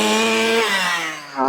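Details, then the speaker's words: 1/5-scale petrol RC car engine, new to the owner, during carburetor tuning: the note sags and wobbles, then slowly climbs back with a muffled, blubbery tone; low-speed mixture too rich, response sluggish, so the low needle gets leaned. "You can definitely hear it's too rich on the low now. And it's gone quite sluggish as well."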